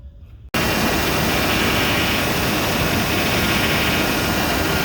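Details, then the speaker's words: 2000 GMC Yukon Denali after belt tensioner replacement: the engine starts and runs steadily, and the earlier rattle and chatter from the vibrating tensioner pulley is gone. "rattle is gone"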